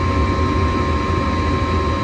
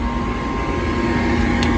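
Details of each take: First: Home gas furnace, checked for a suspected bad igniter after it was shutting off before heating: igniter glows red, gas valve clicks open and burners light; steady even roar and hum with blower running smoothly, no rattles or surging. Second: Furnace: steady blower hum with faint fixed tone, no igniter or burner light-off after igniter work; the cause was a clogged pressure switch hose.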